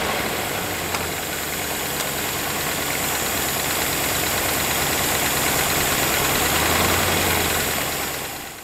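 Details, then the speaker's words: 1981 Rover SD1 3500 V8, sat over 10 years, jump-started from a bus battery with petrol poured into the carburettor (rat-chewed fuel line): it finally runs, a steady even idle with busy mechanical chatter on top. "with a bit of luck, the engine actually started running."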